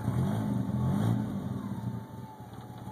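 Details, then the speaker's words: DSM with turbo, intercooler piping and vacuum lines all connected, idling then revved: revs rise and fall back unevenly, hunting on idle; owner sees a major vacuum leak somewhere, location not found. "so I started up the obviously see I got a major vacuum leak somewhere give it some gas"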